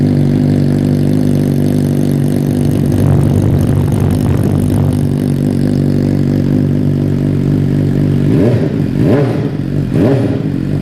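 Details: 2015 Suzuki GSX-R600 with newly installed M4 full exhaust system, first start after install: fires and settles into a steady, even idle, then sharp clean revs rise and fall with throttle; healthy engine, deep exhaust note.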